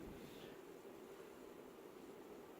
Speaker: Here is high. Bearings were a little noisy, and oil couldn't get in there, so I used white lithium grease, and now it's silent.